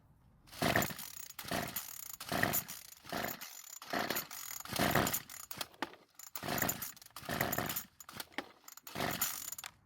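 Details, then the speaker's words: Craftsman trimmer someone gave up on, running on tank fuel of unknown quality after purging the fuel system of air. Repeated rope-pull bursts about every 2.5 seconds, each a brief rasp that never catches. No start, though it tried, suggesting some ignition and compression. "now even though it didn't start and run it did at least try that would confirm that the ignition system is working somewhat and that the engine does seem to have some compression"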